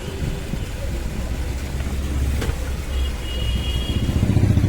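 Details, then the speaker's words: 2022 Mahindra Scorpio BS6 diesel after fixing E35 DEF no-start fault (vent hole made, code cleared): low steady diesel clatter settling into even idle without stumbling; starts smoothly and dash warning light gone. "जब वो स्टार्ट नहीं हो रहा था वहाँ पे चल रहा था, तो ये गाड़ी अभी स्टार्ट हो गया स्मूथली।"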